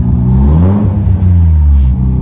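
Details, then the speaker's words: Rebuilt Mazda RX-7 FD rotary after fixing a bad MAP sensor connection, low front-rotor compression suspected: revs up and settles cleanly with an even, strong exhaust note, no single-rotor pulse; normal revving. "because now it's running in quotations fine it revs better it's not like it's on one rotor you can hear it"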